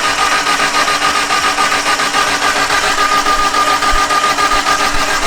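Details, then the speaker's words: Mitsubishi Evo wagon cranking with the valve cover off to inspect the valvetrain: even rhythm about 3.5 beats per second over a steady starter whine, no clatter. Everything moves and the lifters look pumped up, ruling out a mechanical fault. "okay everything looks good everything's moving all the lifters look pumped up so another mechanical thing eliminated which is good"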